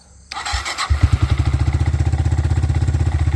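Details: 1985 Yamaha TriMoto 225DX three-wheeler with a new throttle setup, exhaust full of Marvel Mystery Oil and smoking; cranks briefly, catches within a second, settles into an even thumping idle with no misses or knocks.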